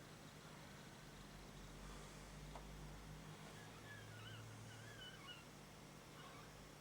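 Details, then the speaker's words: Waltham tape deck running: quiet motor hum with faint, wavering high chirps from a pinch roller that has gone stiff and squeaks; the pinch roller assembly is to be removed. "Just wipe the turning that, just keep that moving while I just wipe the crap off there. You can hear the roller squeaking."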